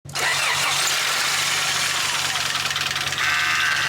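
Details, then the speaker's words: Honda Integra after head gasket job, needing a valve adjustment: catches immediately and settles into a smooth, even idle with no stumble or misfire; normal, healthy start and idle. "it sounds better just like that sounds healthy"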